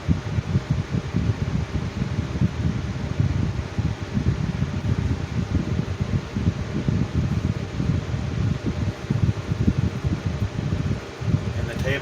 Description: Good runner as well as a preformer .. just has a some balance issues .